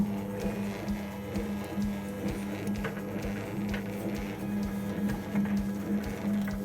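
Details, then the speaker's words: Wringer roller motor of a vintage Hotpoint Countess single-tub washer, engaged. A steady low hum with soft clicks about once a second; it runs smoothly and works. "So we'll just turn the motor on. Right, and I think this has to be engaged. There we go. So that's working."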